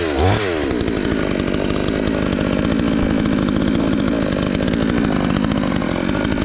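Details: Chinese counterfeit chainsaw sold as a Stihl (MS 461), newly assembled and first start attempt: saw catches within a second and holds a steady, high buzzing two-stroke run with even firing, no sputter or dropouts.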